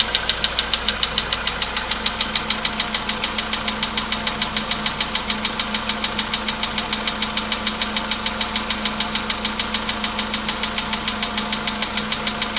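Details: VW Polo Sedan, 99,329 km, cold start, 15°C shown; steady light tapping under two per second over low idle hum, anvil-like, getting worse; cold-idle engine knock, source not located.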